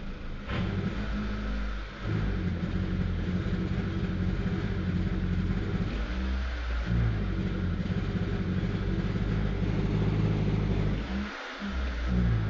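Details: Proton Waja MMC, fuel-injected, can't pull when throttle is pressed: revs rise and sag with brief dips and stumbles and never pull cleanly; weak fuel pump pressure starving the engine, causing hesitation and loss of power.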